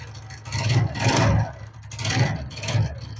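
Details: TVS Ntorq 125 scooter at idle: an uneven, low, loose rattling knock that rises and falls in slow bursts. The cause is a loose starter one-way clutch nut.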